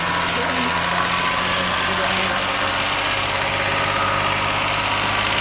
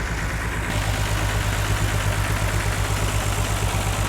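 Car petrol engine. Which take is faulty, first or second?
second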